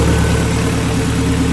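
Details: Honda Civic with H22 engine, running after new shifter cables were fitted: smooth, even low idle with a steady deep throb and no knocks or misses; normal idle.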